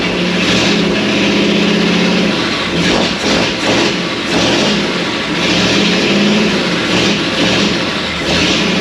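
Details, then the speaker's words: 1937 Ford with new, tight 59AB flathead V8 on a 6-volt system, run without radiator or coolant: strong, even rumble with crisp throttle blips and no miss or knock; running on all eight. "You see it once it fired. It sounds strong. It seems to be running on 8 pretty good."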